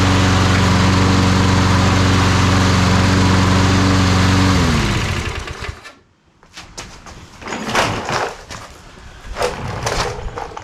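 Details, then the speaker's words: Toro Recycler push mower, sat 3 years unused, carburetor cleaned, new mower blade fitted: smooth steady drone for several seconds, then winds down and shuts off cleanly; normal running. "It's good, really good. Like brand new mower."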